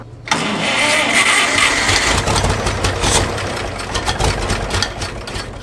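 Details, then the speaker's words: Abandoned Farmall 460 tractor, water found in the fuel at the carburetor: engine catches but runs unevenly, stumbling and surging without a steady beat, needing very rich mixture; sediment bowl and carburetor to be drained and flushed. "oh that's water let's drain our sediment bowl then and drain our carburetor flush any water and crap out of there cuz it's acting like it's got plenty of fuel but it wants a ton to run"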